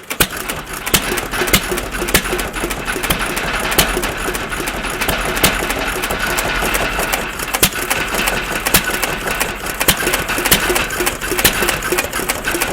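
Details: Stover CT1 1.5 HP hit-and-miss engine just started after flooding/choke trouble, magneto and timing adjusted: steady quick mechanical ticking with only an occasional louder pop as it coasts between firings; normal hit-and-miss running.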